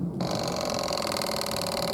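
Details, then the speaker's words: Suzuki 1100G with Mikuni carbs, after sitting, carbs cleaned; electric fuel pump primed with the prime button, steady pulsing whir as it fills the carbs, then shuts off. Normal fuel pump priming. "and there it is sucking the fuel in carbs are full it's shutting off"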